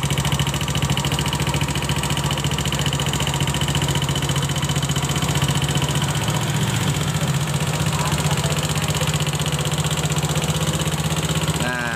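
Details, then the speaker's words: Honda Scoopy FI scooter at idle, customer complaint of rough noise for several days: fast, uneven ticking rattle over the engine note; source, engine or CVT, not yet determined. "Pagi hari ini saya kedatangan Honda Scoopy dengan membawa keluhan, yaitu ada bunyi berisik, entah itu di bagian mesinnya atau bagian spitinya."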